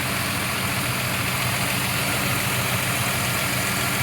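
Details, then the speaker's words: 1973 Plymouth Duster survivor, warm, hood open, transmission reportedly recently rebuilt and motor mounts replaced: smooth, even idle with soft fast patter, no knocks or ticks, "like a sewing machine". Finding: normal warm idle. "let's get out and check out the tailpipe and let's listen to it run for a minute oh [Music] it's got the hood open for us [Music] sounds like a sewing machine doesn't it"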